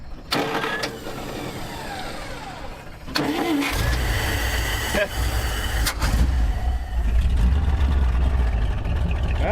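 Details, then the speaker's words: 1959 Dodge D-300 farm truck with 318 V8, sat for months, after fixing a faulty key switch and fitting a new solenoid; short crank then it fires right up and settles into a firm, steady idle. "this thing's back in Action yep on man right it's been sitting for months fires right up cool"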